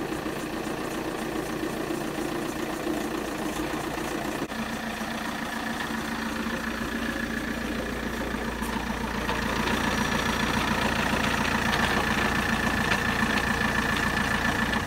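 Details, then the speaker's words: Saab 9-3 SC TiD diesel, suspected dual-mass flywheel fault, weeks-long problem since purchase: idle with steady even clatter about three or four per second over the engine note; rattle at idle, flywheel suspected. "I'm not sure about what you guys can hear but for me it doesn't sound healthy and this problem has been bothering me for some weeks now"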